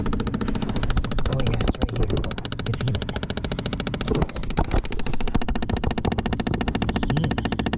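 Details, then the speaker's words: Chevy Impala/Malibu (2006–2016), key on, engine quiet: fast, steady clicking from behind the dash; thought to be the HVAC air door actuator, which gets replaced. Clicking behind dashboard. "I think I think I know what it is I think it's the air door actuator for the a seat"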